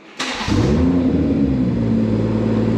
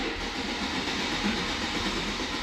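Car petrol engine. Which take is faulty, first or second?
second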